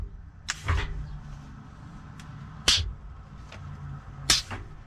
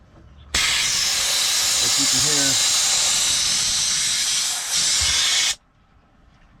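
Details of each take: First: Peterbilt 379 with newly installed Grand General shifter top, after correcting swapped air lines: three sharp air clicks with short hisses a couple of seconds apart over a quiet idle; splitter valve shifting as it should. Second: Peterbilt 379 with newly installed custom Grand General shifter top: loud steady hiss for about five seconds then stops dead, air exhausting from the shift valve because the red supply line was put in the outlet.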